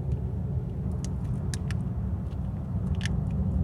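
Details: 1997 Jeep Grand Cherokee 4.0L with no-start, PCM and crank sensor already replaced and distributor apparently replaced not long ago: the starter churns the engine over in a low, steady rumble but it never fires. No camshaft position sensor signal on the Hall-effect cam sensor.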